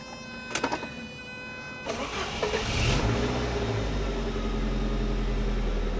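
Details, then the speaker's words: 1988 Saab 900 Turbo under restoration after months of no-start, new starter and repaired fuel line: starter whirs about two seconds, engine catches and runs rough, far better than before, then falters and won't stay running; idle control valve or MAF suspected. "Oh, it sounds so much better. See the turbo? Well, I wish it would keep running, though. [Music] That's a hundred times better than before. I don't know why she doesn't want to stay running, though."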